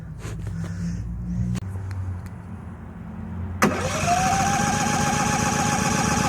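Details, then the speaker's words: New Harbor Freight Predator 5000 watt dual-fuel generator, first startup; starter keeps spinning after the button is released until the engine catches, then a steady even run with climbing, levelling pitch; normal electric start. "Oh, the starter stays spinning even if you let off the button till it gets going."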